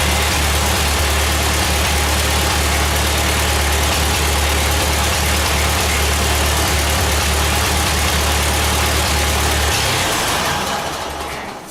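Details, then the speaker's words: Ford 8N tractor just reassembled, carburetor untouched out of the box: even low chugging at about 220 beats a minute, no misses or knocks; normal idle. "well there sounds like she's a little bit of a tuner on the carburetor that's just right out of the box I didn't even I didn't just anything at all so that makes me pretty happy"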